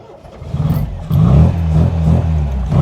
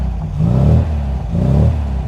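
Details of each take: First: 1979 MG MGB GT cold start on choke: cranks, catches, then runs lumpy and uneven with surging for a few seconds because the choke was closed too slowly. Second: 1979 MG MGB GT with muffler deleted, long centre-branch straight-through exhaust and fast road cam: engine blipped twice, deep, loud throaty rise and fall, much louder and clearer than a stock MGB.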